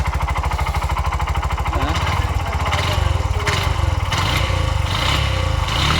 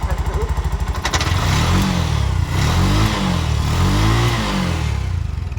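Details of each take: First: Bajaj BS6 single-cylinder engine, about 22,322 km, brought in for noise, oil suspected low; hard rapid knocking on the engine beat growing louder and rougher with revs, connecting rod knock. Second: Bajaj BS6 single-cylinder engine, about 22,322 km, after repair with new crankshaft and new cylinder bore replacing a loose crank and scored bore; steady beat rising and falling smoothly with throttle blips, no knocking or rattle, running normally.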